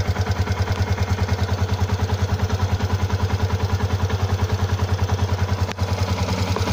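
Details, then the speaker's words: Stock Yamaha Exciter 150 at 8,147 km, coolant unchanged for half a year, idle: even clatter about three light knocks a second; owner unsure whether tappets or clutch. "Bạn cho mình ý kiến kêu cò hay là giọng nồi to lớn."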